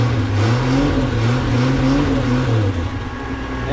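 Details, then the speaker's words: Salvage-yard Snow Cat after repairs, engine just started: steady even low drone with gently wavering note, no knocks or misses; starts nicely and runs well. "started nice that runs good"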